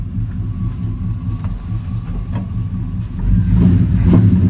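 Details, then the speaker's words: 1972 Chevy C10 with a 350 V8 and 3-speed automatic, running after 10 gallons of fuel were added following years off the road: a deep, steady, even V8 burble through dual exhausts that swells slightly; runs healthy, with slight smoke suggesting possibly sticky rings. "It just needed some more fuel, I guess. It's pretty neat."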